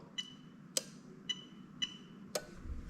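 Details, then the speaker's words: Lexus LS430 3UZ-FE VVT-i with a plug-and-play harness for an IS200, during a harness test: the AC magnetic clutch relay, in the box next to the ECU, is toggled off and on, giving sharp clicks about every half second in a quiet cabin. Switching normally. "again all your ac relays are in this little box here next to ucu box but i'm just going to click it off on on"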